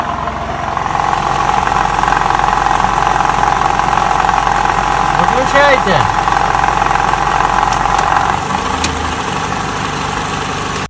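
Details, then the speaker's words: Toyota Camry 50 2012, 2.5 engine, about 150,000 km, warmed to operating temperature, brake held in Drive: steady mid-pitched drone over idle from the engine bay, identified as balance shaft noise. "звук издают балансировочные валы поэтому если вы у себя услышите такой звук вы его узнаете"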